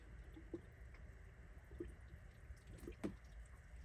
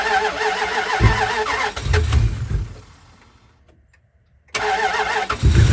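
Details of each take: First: Dodge Dakota after head gasket replacement, engine off, filling coolant: irregular drips and trickling water; coolant leaking from radiator drain plug left untightened. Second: Dodge Dakota first start after a head gasket replacement, with antifreeze refilled and a used battery fitted. It catches quickly, then restarts and settles into a steady, even run while smoking a little. Normal start.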